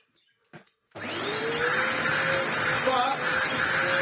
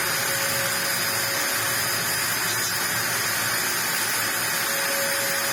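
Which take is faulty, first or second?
second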